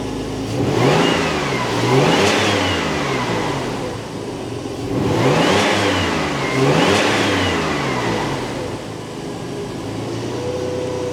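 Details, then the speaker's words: Early 2.5 Porsche Boxster 986 after air-oil separator replacement, PCV leak fixes, cleaned throttle body, inlets and MAF, six new plugs and oil change: three crisp blips, revs rise and fall cleanly, no misfire, stumble or rattle; healthy. "Obviously, my next thing that I need to do is check the air filter, but honestly, I'm just going to do that tomorrow. Life is good in Porsche world, I think."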